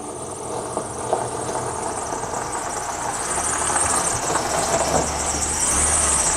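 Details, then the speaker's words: PT Cruiser project car, first start, misfiring badly and likely no coolant: engine idles under a thin constant high-pitched squeal from a slipping serpentine belt; motor otherwise sounds good. "But the motor sounds good, other than we got a squeaky belt over there."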